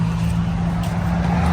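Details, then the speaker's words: Ford Fiesta gearbox shaking when pulling away, not when free-revving; replaced shock absorbers did not cure it: deep uneven rumble and low shudder on take-off, traced to the gearbox, which is to be removed. "ตรวจเช็คดูนะครับปัญหาเกิดจากเกียร์นะในเ้ารุ่นนี้นะเราจะทำการยกเกียร์ลงมานะครับ"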